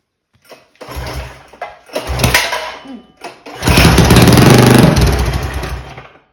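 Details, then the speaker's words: Mega Moto 212 mini bike with Mikuni carburetor, cold weather: repeated pull-start chugging bursts that die instantly, engine turns over but never fires after mixture was richened; owner suspects mixture setting, cause not confirmed. "That's weird. It still won't even fire."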